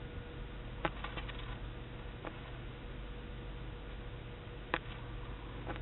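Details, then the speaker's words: Main breaker panel near master-bathroom breakers, bathroom lights and fans on, ozone smell and slight light flicker: faint mains buzz with sharp crackling ticks; owner suspected a bad breaker, but the electrician found a loose, arcing wire left untightened by the last electrician. "can you see back in here the wire was loose and arcing so it wasn't a bad breaker it was the wire had not been tightened by the last electrician"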